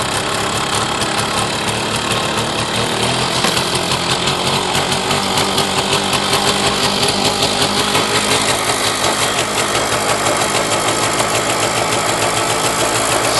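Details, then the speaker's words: Puch MS 50 moped, 39,375 km, two-stroke, just started: fast even crackle at idle with no misses or knocks, idle perhaps slightly high. "Så lyder den. Går måske en lille smule højt i tomgang."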